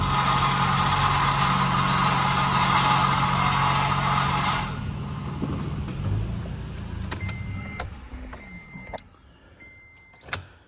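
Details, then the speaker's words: Late-model Toyota Tacoma in gear, foot on the brake with the throttle touched, a harsh tinny buzzing rattle that fades as revs drop; a loose catalytic converter heat shield missing its clamp. "that sounds horrible doesn't it yo when I heard that noise I immediately got underneath of it and check that that is the catalytic converter heat shield"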